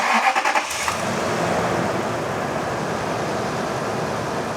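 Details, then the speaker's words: Toyota cold start: short cranking bursts, then it catches into a steady, even idle with no popping. Days earlier it sounded like a bad exhaust leak; owner thinks it just needs a tune-up and spark plugs. "it sounds good it's weird the other day when it started up it sounded like it had a really bad exhaust Sleek but I think she just needs a tuneup"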